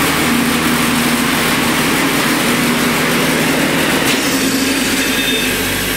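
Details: Murray riding mower converted to electric (ME-1004 motor, 44–48V Chevy Volt lithium pack), speed setting 36, deck engaged: steady high whir from the hydrostatic drive and spinning deck, no grinding; normal running under load.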